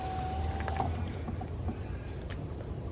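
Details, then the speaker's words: BMW E46 3 Series door with a three-month-old replacement power window motor that grinds at the top: steady low motor hum as the window lowers smoothly, down travel normal. "so down is perfectly fine"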